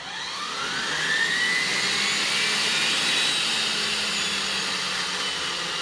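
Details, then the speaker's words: Rover gas turbine, not run for a while, started with a KC-135 pneumatic starter: steady rising whine as it spins up but never lights off; owner suspects an electrical or high-pressure fault, unconfirmed; cranks but fails to light. "well folks that was all a bit disappointing anyway we packed everything away and uh i'll just have to try again the rover unfortunately refused to play ball today"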